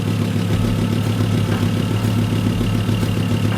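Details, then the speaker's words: 1996 Volvo 850 2.5L 20V estate, first start after head gasket replacement and refill with fresh coolant: a sharp, regular ticking at idle in time with the firing pulses. It is an exhaust manifold leak, not lifters; no other leaks. "that's is definitely not the lifters it's the exhaust [Music] manifold"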